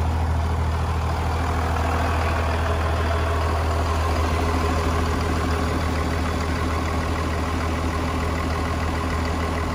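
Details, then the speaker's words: 24-valve Cummins diesel idling on an open downpipe with no exhaust: deep, loud, uneven unmuffled rumble; truck also defuels because it thinks boost is too high, exhaust still being sorted. "and it does like i say have open down pops it sounds like crap but i'm trying to get an exhaust figured out right now"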